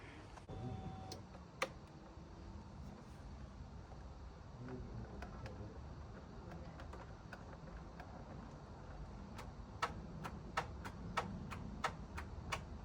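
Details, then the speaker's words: Cheap non-running 12-year-old high-mileage Vespa GTS300, low on oil, first start attempt: sharp dry clicks about three a second with no cranking or firing; owner hopes for a flat battery, fears motor locked up. "That didn't sound too hopeful. Hopefully it's a flat battery."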